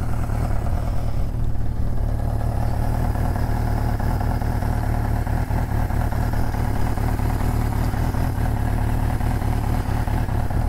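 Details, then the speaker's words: 1983 Suzuki GS650L revived after years stored, cold start on full choke with new battery, no leaks seen: deep, steady, even rumble without stumbling or ticking; healthy idle. "okay hey that's not bad at all this thing wants to be ridden I don't see anything leaking"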